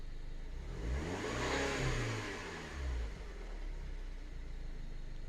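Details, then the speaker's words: 2007 Mini Cooper S R56, after fixing low fuel pressure (P0190 fuel pressure sensor) that caused rough idle: quick rev then steady, even idle with no stumble; now idles normally, though still slightly odd at times and oil pressure a bit low. "Look at that. Idles like a charm now."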